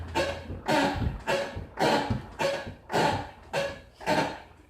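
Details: 2000 Mitsubishi Eclipse GT V6 being rocked back and forth by hand: eight rhythmic thuds with a creaky edge, about one a second, each landing as the body rocks; the suspension source is unknown. Clunk when rocking car.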